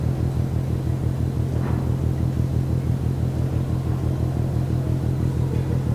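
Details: Rhythmic banging from the ship MAERSK TAIKUNG, Port of Genoa Pra' (PSA Voltri Pra), 1 a.m., 5 Nov 2015, recorded from more than 1 km away: deep, even thuds about twice a second over a low distant rumble; source unknown.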